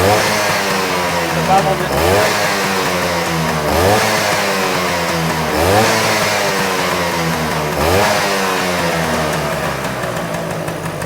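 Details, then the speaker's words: Freshly restored Vespa P200 two-stroke, just started for the first time in about five kicks, oil line priming with a little premix oil in the first tank: crisp blips rising and falling, clean pickup and return to idle. Healthy running and revving. "Uh started up about five kicks. pretty good for a bike that uh motor that's never been run, never been lit off."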